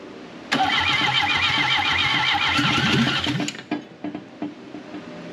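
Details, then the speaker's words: 1968 BMW 1800 barn find, carburetor full of fuel, oil added, helper working throttle: fast steady cranking about four beats per second for three seconds, pops once but won't run; owner suspects flooding, crank no start. "go ahead hold it to the floor rich I think she's flooded that's where she started to fire"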